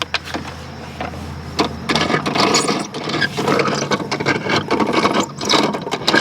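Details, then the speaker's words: Toro Timemaster self-propelled mower, hard to push, in service position with spark plug disconnected: irregular gritty grinding and rattling as the wheels spin; worn middle transmission bearing blamed. "And I think this bearing is no good. Right here in the middle. This middle bearing. That's what's making this noise."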